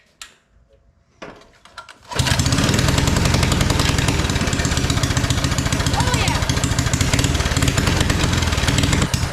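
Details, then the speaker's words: Mini bike small engine after carburetor adjustment: buzzing hard at high revs with uneven blubbery firing and occasional pops; still running rich, though better than before when it popped and blew black smoke. "it's still a little rich but I think it's way better than it was so I think we're just going to leave it it is running quite a bit rich like I just said but better than"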